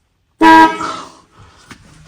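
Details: 1964 Ford Galaxie, horn tested after steering wheel horn contact reassembled (broken horn wire found earlier at firewall): single short clear horn blast about a quarter second, steady and strong, fading into quiet shop; horn circuit works.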